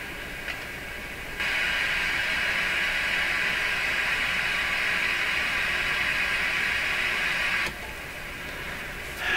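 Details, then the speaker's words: Strauss AM/FM tabletop radio whose FM local oscillator seems not to work: probing the collector while injecting a signal brings a steady, even hiss from the speaker for about six seconds. "And then this is the collector, I'm pretty sure, yeah, collector. And this always introduces noise for the first time coming out of the radio speaker."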